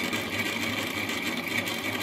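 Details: A new-build apartment's cold-water meter, where the developer also sealed the coarse filter ahead of it, while the boiler fills: a steady, high-pitched whine over rushing water. The meter is abnormally noisy whenever water flows through it.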